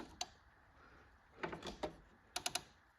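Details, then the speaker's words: Sharp relay clicks in small bursts with no fuel pump hum on a John Deere 445 crank no-start; fuel pump circuit dead from a corroded, melted fuse holder. "No, I still don't hear the fuel pump though. I still don't hear the fuel pump. It's like all the relays are clicking. No fuel pump."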